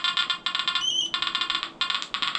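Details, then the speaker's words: Nokta Anfibio Multi metal detector (about 2,500 hours) with 7-inch concentric coil over a gold ring: rapid choppy high beeping with rising chirp, overloading and giving a broken tone, sounding like crackle, EMI or foil. "And also it's overloading on it too, so it's going to give you a really broken tone."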